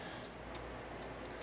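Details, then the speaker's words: Cuckoo clock before cleaning and oiling: steady light ticking at about two beats a second; it runs a couple of minutes and then stops, and the cuckoo doesn't come out fully because of goop on the bird's carriage. "we're going to watch this thing go off and uh hopefully it won't quit before then because it runs for a couple minutes and then it stops"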